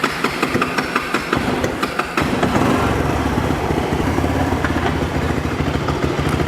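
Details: Kawasaki 300 ATV after repair and reassembly: a couple of seconds of cranking, then catches and settles into steady even idle with no misses — normal idle; spark later lost.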